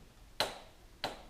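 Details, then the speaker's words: Honda Benley, engine off: two crisp metallic clicks as the carb slide bottoms on twist-grip release; slide not sticking, though revs hang when running (owner suspects other cause such as lean inlet leak). "i thought oh is it a sticking slide in the carb and i don't think it is because when you um twist the twist grip you can hear the slide bottoming"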